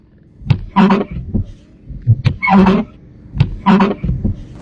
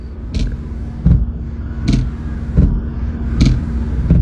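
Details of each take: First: Car wipers make harsh, juddering squawks with each sweep, about once a second, with thumps at the ends. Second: Car wipers after a deformed part was adjusted with a screwdriver: only a soft, even thump at each turnaround, about one stroke every 1.5 seconds; the harsh noise is gone and operation is normal.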